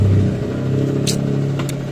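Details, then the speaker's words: Yamaha NMAX scooter: a steady engine drone with brief sharp scraping flicks from the CVT. The clutch bowl is worn unevenly and the clutch nut/bolt area is loose, so the clutch scrapes. Riding on is advised against. "Oke Guys jadi untuk suara aneh di motor Yamaha nmax ini permasalahannya dari sini kalau teman-teman ngerasa ada aneh-aneh di bagian spenya kalau bisa jangan dipaksa Jalan guys"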